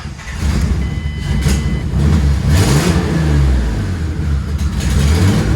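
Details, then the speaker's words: 1965 Mustang hot rod body swap with twin turbos on first drive, vacuum lines rechecked: engine keeps running only on repeated throttle blips, surging and sagging; will not idle, with the pedal intermittently giving no response; cause not found. "it will not idle"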